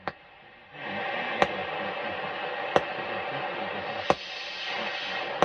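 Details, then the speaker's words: Grundig Yacht Boy 210 radio after output transistor bias and dial light work, back off, on medium wave: sharp regular ticks about every 1.3 seconds over steady hiss; electric fence pulse interference. "we're gonna have a listen to it now and see how performs electric fence is working quite well"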